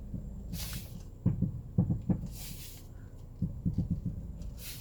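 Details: 2007 Honda CR-V (RE4): short bursts of dull, hollow clunks, three or four at a time, when turning the steering wheel left or right; mechanics suspect suspension, shock absorbers or shock mounts, not confirmed.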